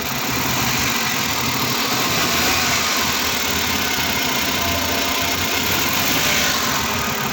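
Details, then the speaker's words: Suzuki DA64 with K6A engine idling with check engine light: uneven stumbling beat; scanner shows cylinder 1 misfire, ignition coil or spark plug suspected. "ah posible sa coil lang ito or spark plug titingan natin Tingan niyo andar guys"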